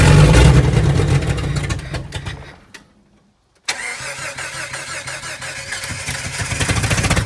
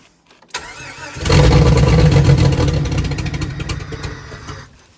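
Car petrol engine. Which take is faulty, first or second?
second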